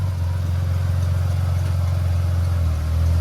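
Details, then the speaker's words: Ford Falcon with FG automatic gearbox after repairing the broken selector arm and cable: steady, even idle with low drone; shift into reverse goes in without a clunk and the car moves, selector engaging cleanly. "sounds like an engaged just okay watch your door come forward perfect looks like it's working right"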